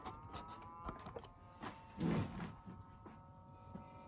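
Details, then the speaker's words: Xbox power supply after a fan noise fix. The supply had broken little rods inside. The fan now runs quietly with a faint, steady soft whir and only small handling clicks. "you can barely hear it just just to prove it barely any noise it blows up it blows up very nice very nice it is on it is quiet enough"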